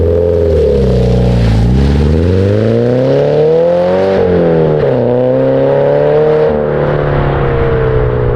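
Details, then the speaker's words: 2013 Subaru BRZ with GReddy Evo GT exhaust after a leak was fixed with a 2.5 to 3 in adapter and donut gasket: smooth exhaust note rising and falling cleanly through several rev pulls, no puffing leak, mild steady drone. "Oh, really? That sounds way better. No more leak. That sounds way better."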